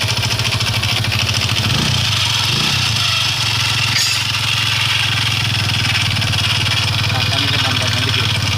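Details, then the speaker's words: Hero iSmart 110 motorcycle single idling with a harsh, rattly mechanical engine noise over the exhaust beat. The source is unknown; the noise stops when a part is held and returns when released. "हमारे पास रो आर् i3s 110 हमारे पास आया है दोस्तों इसमें engine से sound हो रहा है"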